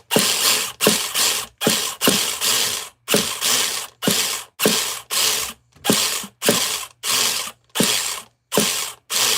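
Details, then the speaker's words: Nitro RC car being started: dry rasping ratchet bursts about every 0.7 seconds and the engine never catches; the starter's one-way bearing is slipping and owner considers cleaning it. "All right, let's try it. Slippy ass oneways."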